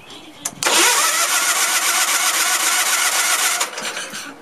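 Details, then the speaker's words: Case lawn tractor with a 20 hp Onan engine whose carburetor sat about two years, cranking with the throttle wide open at about four turns a second. It spins over with no catch or firing. The engine is flooded after priming. "I think that what it did, I actually think that it's flooded. That's what I think."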